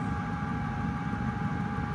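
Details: Outequip diesel heater on full throttle, plugged into a wall outlet: steady, even, quiet hum with a faint fuel-pump tick at maximum fuel consumption, putting out 162-degree air. Running normally.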